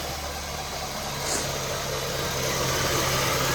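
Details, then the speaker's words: 2012 Honda Civic after Liqui Moly engine flush, oil change to Valvoline 5W-20 plus Lucas oil treatment: even smooth idle with soft steady pulse, no ticking or knocking, described as super quiet; normal idle. "So guys, the engine sounds really quiet. Like when you listen to this, it sounds really quiet. Super quiet."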